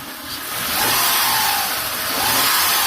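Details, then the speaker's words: Auction-bought vehicle with almost 400,000 miles revved a little in park: engine rises and settles smoothly, no knocking, no skipping, purring like it's supposed to; healthy engine. "400,000 miles. No knocking, no skipping. Purring like a kitten. Purring like it's supposed to."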